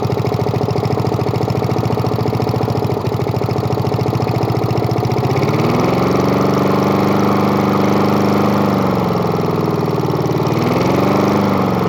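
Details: Murray lawn mower with spare replacement engine, started after repeated priming: small single-cylinder catches and runs steadily, even beat dipping and recovering as throttle moves; running fine.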